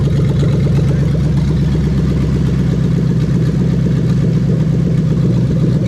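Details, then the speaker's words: 1998-2000 Lexus LS400 1UZ-FE VVT-i V8 on a standalone harness, warmed up, injectors unplugged one by one: loud steady running with a slightly uneven beat, about four pulses a second, misfiring on each cut; every cylinder firing. "then i'm going to go around and i'm going to unplug each injector one by one you're going to hear the engine misfiring as i do that so that indicates that every single cylinder is firing exactly as it should"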